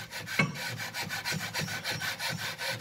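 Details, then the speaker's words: 2012 Volkswagen Passat stabilizer bar link, removed and worked by hand: dry rasping creak about three times a second; link rubber has completely failed, matching the creak heard over speed bumps. "지금 링크를 지금 바로 위에 탈거를 했는데 링크는 아예 지금 그 고무 자체가 지금 아예 고장나 있고 요거를 바로 답이 나왔어요."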